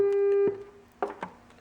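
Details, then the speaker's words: Sony HP-485 with Garrard 3500 turntable, dead left channel being diagnosed: 400 Hz burst tone on left channel plays clean with no hum or crackle; phono preamp stage works, cartridge next suspect. "okay so i have a 400 hertz burst tone on the left channel there and that's working just fine"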